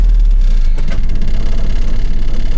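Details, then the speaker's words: 1985 Mazda B2000 ute, clutch and gearbox recently replaced: steady low idle without choke while pulling out, with a faint loose rattle over the engine note; source not pinned down. "a bit rattly but anyway"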